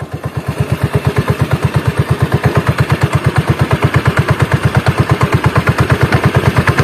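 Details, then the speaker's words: Honda Beat carburetor scooter after CVT teardown and repair for rough CVT noise at low rpm: even putt-putt beat about two per second, smooth, no helicopter-like rattle anymore; transmission now normal. "udah nggak ada suara helikopternya lagi"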